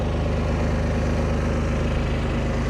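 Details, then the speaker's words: Harbor Freight Predator 11,500 W inverter generator on propane, microwave running, 3.4 kW load, under half capacity: steady even low thrum, regular firing beat, no misses or surging; normal running under load. "We're not even at halfway. You know, microwave is one of the biggest appliances I'll probably run in an emergency situation, so this thing can definitely handle it easily."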